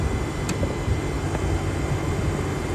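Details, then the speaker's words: Variable-speed electric AC compressor at light load, recirculated cabin air at 61°F and 42°F vent air: steady low hum under fan rush, compressor spinning very slowly because little refrigerant needs moving; normal. "you can hear the fans going but the compressor is not winding that much anymore so now there's a very very slow because this is a variable speed compressor the compressor does not have to push a lot of refrigerant because there's no load"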